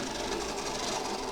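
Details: Second-hand Oxford Rail Class 415 Adams Radial 4-4-2T model locomotive on a test track; the motor gives a dry, rough buzzing whirr that sounds like it needs lubricating, before servicing.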